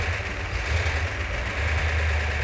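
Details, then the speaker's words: 1970 Plymouth Cuda 383 V8 in the car after restoration: deep steady idle with even lope, no knocks or ticks; sounds as good as on the engine run stand. "the engine sounds every bit as good as it did when it was on the engine run stand that's fantastic"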